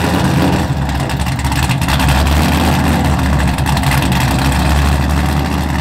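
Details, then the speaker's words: Mazda FD RX-7 with rebuilt 2002 LS6 V8, Trick Flow cam, essentially straight-piped exhaust, started from inside the car; loud, raw, lumpy cam note and open-exhaust bark, steady, no knocking or grinding. Normal running. "you probably won't be able to hear me speaking over the v8 essentially straight piped exhaust that's cammed out"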